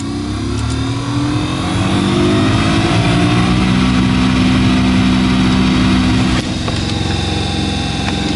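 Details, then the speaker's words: Suzuki Grand Vitara heater blower, test run of a newly installed replacement motor at first speed before the cover and insulation go back on: a steady low hum with a fast, uneven rattle; owner suspects the new motor, unconfirmed. "Я, конечно, сейчас соберу все это, кожух одену, там шумоизоляция, но с таким звуком он не должен работать. Не знаю, может я, конечно, гоню уже. По-моему, жесть так тарахтит."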